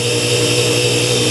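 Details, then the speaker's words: BoxMotor pulse motor on all six coils after bad-chip repair, run up to 160 V rated, 1.9 A in, batteries 13 V: steady even buzzing hum, smooth tone, no stumbling; running cleanly. "it's fly that's great well she's running"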